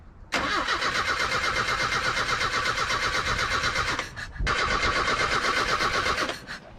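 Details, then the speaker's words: Old truck, after trimming the distributor line: two long cranking runs at about 160 rpm, never catching. There is no spark whenever the distributor cover is on; the owner suspects the ground wire is touching the cover. "she ain't got no spark nope she sure don't this is a new one for me guys every time I put this cover back on I'm losing my spark"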